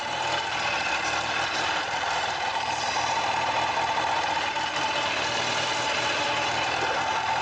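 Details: Kawasaki ZZR1100 D at 55,213 km with a new battery, revved during a charging-system check, charging 14.82 V: steady, even engine note with no knocks or misses; alternator and regulator work perfectly.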